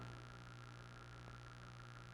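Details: Newly bought, self-assembled 8-blade clip fan makes a steady low electrical hum from a loose motor shaft with too much end play. It is quiet when standing upright but hums in other positions. The fix is plastic shimming to tighten it.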